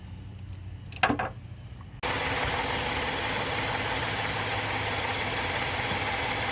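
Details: 2013 Chevrolet Impala after replacing a stuck-open EVAP purge valve that caused a check engine light and misfire after refueling: a couple of handling clicks, then a steady, even idle with no stumble.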